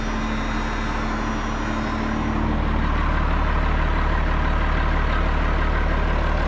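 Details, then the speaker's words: Road grader with rebuilt Cummins 8.3 diesel, after earlier knocking thought fuel-related: steady even idle with regular firing beat and no knock; runs smooth and healthy. "Yeah, you just love to hear them run after you get them done. This one sounds really good now."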